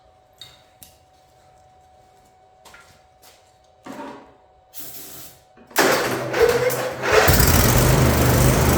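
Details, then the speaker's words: Craftsman YT4000 riding mower, about 10 years old, unused 4 years, finally fires after wire-wheel cleaning of rusted flywheel for better spark; after a few clicks it catches and runs steady and even, no misses. "I finally got it to fire up"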